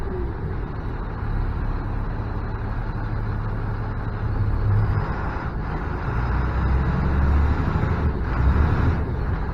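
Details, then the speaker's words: MaxxForce diesel plow truck with VGT turbo problem, after repair at idle, not driving: deep steady rumble, no hunting or surging; boost now over nine pounds versus not even one pound before; considered fixed. "gonna say this is fixed we got plenty of boost pressure it was coming up on the standard before I wouldn't even build a pound of pressure on there"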